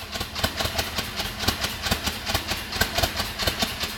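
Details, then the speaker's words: Volkswagen Gol G5 at idle: exhaust chuffs in uneven puffs, roughly two a second with irregular gaps, a lumpy, stumbling beat; rough idle misfire, cause under investigation. "o carro tá totalmente quadrado funcionamento irregular escapamento falhando né tá bem quadradão mesmo"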